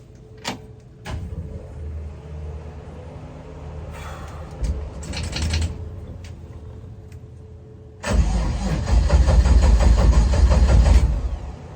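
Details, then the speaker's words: 1955 Chevy Tri-5, not started in a while, after clutch reservoir mounting and gravity bleed: short, sluggish, uneven cranking bursts as the low battery slows the starter, then it catches into a loud, rough idle. "Battery is a little low. Car hasn't started in a while."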